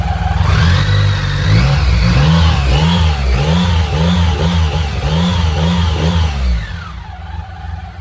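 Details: BMW K75 motorcycle after restoration and fixing intake manifold vacuum leaks behind starts-then-dies and rough idle: quick, crisp throttle blips rising and falling evenly, then steady smooth idle; running healthy.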